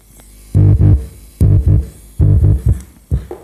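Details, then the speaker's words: Lawega active speaker with one channel dead/crackling, speaker cable swapped to test: clean, undistorted bass-heavy music with no crackle, hum or dropouts; this right channel is normal, fault lies in the other channel. "kalau kita setuju inputnya lulur ya kita satu inputnya itu kondisinya suaranya itu seperti itu berarti normal or tidak ada masalah yang sebelah kanan"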